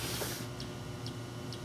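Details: 2005 Chevy Express 3500 van, no start with no fuel pump operation and erratic gauges: sharp clicks about every half second over faint hiss, a relay chattering from a bad ground back-feeding the circuit; jumper to ABS ground near body mount fixed it.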